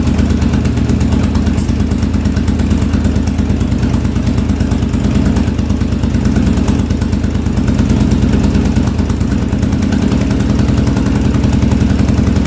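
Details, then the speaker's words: 1983 Yamaha Virago 920 V-twin barn find, cold first start after float height fix: rough, uneven, lopsided chuffing idle as if only one cylinder fires; owner suspects running on one cylinder, unconfirmed. "oh hey first start I don't know how good that was sound like we were on one cylinder there"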